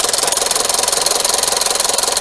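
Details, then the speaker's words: Skoda Yeti 1.2 TSI turbo petrol chain engine at idle: a loud, fast, even metallic rattle over a harsh top end, owner's complaint of a terrible knock; stretched timing chain, chain replaced. "вот и проблема стара как мир очень очень громко работает мотор сейчас запустим покажу"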